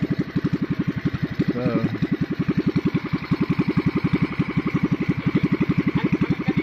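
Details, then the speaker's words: Small single-cylinder engine with a newly fitted carburetor, slightly uneven chuffing about four beats a second as the mechanic adjusts the idle and turns the mixture needle richer and leaner to find the sweet spot. "they're adjusting the idol also [Music] [Laughter] ratio needle now richening it up or leaning it out trying to find a sweet spot there"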